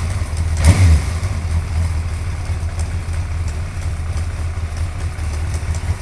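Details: Suzuki GSXR 1100 motorcycle, deep lumpy idle after a short throttle blip, with a faint, light, regular tick on top; engine ticking, source unknown.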